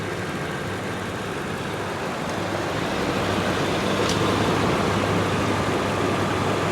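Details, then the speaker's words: Toyota Tundra salvage-auction truck with 242,000 miles: steady, even idle hum under outdoor noise, with no knocks, ticks or misses. Healthy idle that runs like new. "it runs like it's brand new"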